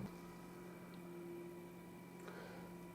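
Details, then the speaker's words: Homemade single-supply discrete 5W quasi-complementary power amplifier on breadboard, input disconnected: faint steady tone over low hum, matching the noise seen on the scope; circuit seems to self-oscillate, producing a 1 kHz sine wave by itself, cause unconfirmed. "There's that noise that I was seeing on the scope before, too. But interestingly, the circuit seems to be producing a 1 kHz sine wave by itself."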